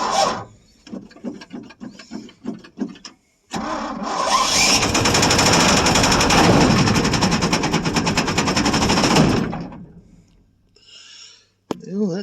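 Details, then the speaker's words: 1973 Ford F100 390 FE V8, first start after about 30 years sitting, previously stuck engine: stuttering cranks, then loud hard hammering about three knocks a second before abruptly stopping; serious internal knock, suspected lock-up, oil pressure was rising. "don't sound real good. Might have just locked up."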